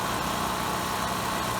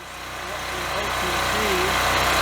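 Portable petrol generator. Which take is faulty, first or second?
first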